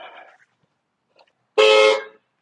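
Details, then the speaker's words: 2005–2009 Mustang horn after replacing the weak, high-only set with a used high/low horn pair: a short, full, steady two-note blast with a solid low tone under the high one. Sounds normal. "Yep, that sounds much better."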